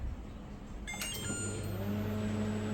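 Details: LG NeoChef inverter microwave after magnetron replacement, first start: a few relay clicks, then a steady low hum with a faint even tone; now fixed, running normally.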